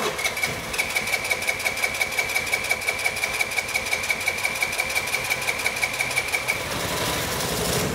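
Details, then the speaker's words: 2006 Vespa LX carbureted scooter after idle jet cleaning, carburetor left bone dry, throttle closed: steady rapid starter cranking, about three turns a second, for several seconds before catching as fuel fills the carb; normal. "it's going to take a bit of cranking initially to get it started pretty much to get the fuel flowing through the carburetor you know because we left the carburetor completely bone dry"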